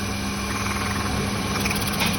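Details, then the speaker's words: Hyundai Santro Xing on petrol, gas-petrol car that misfires only on petrol: rough, uneven idle with a steady stumble; removing cylinder 3's plug wire changes nothing, so cylinder 3 is dead from a clogged injector. "അപ്പോൾ നമ്മൾ check ചെയ്ത് നോക്കിക്കഴിഞ്ഞപ്പോൾ മൂന്നാമത്തെ സിലിണ്ടറിൽ correct working അല്ല."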